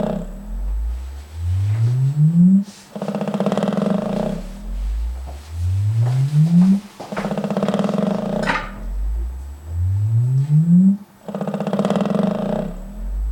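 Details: Velodyne DD-15 subwoofer playing a deep tone that sweeps upward about every four seconds; at each peak a buzzy rattle breaks out, suggesting something loose in the sub.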